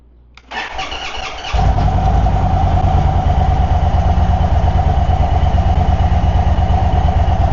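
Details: 2024 Indian Sport Chief V-twin on its first start after a Stage 1 air intake install: the starter whirs briefly, then the engine settles into a steady, even loping idle of about three pulses a second. Normal cold start and idle.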